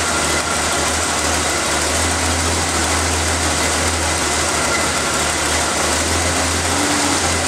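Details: Engine started after reinstalling the valve cover, vacuum line clip, air filter and cover, to listen for hissing air leaks; smooth even idle with a steady low hum, no hiss or ticking. Normal idle, no vacuum leak.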